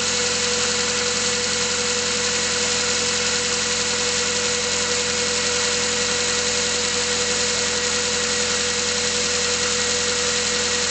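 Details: Mazda 3 cold idle with a busy, light ticking clatter from an internal knock of unclear cause. Pistons were replaced under extended warranty, but the noise returned a year later, also when warm under load. Owner hopes it is bearings.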